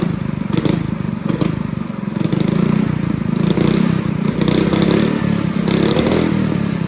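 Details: Honda GX200 clone kart engine, carb jet drilled up to a 77 bit, unloaded test run: crisp, steady single-cylinder putter holding even speed with only slight rise and fall, no misses or stumbling; normal running.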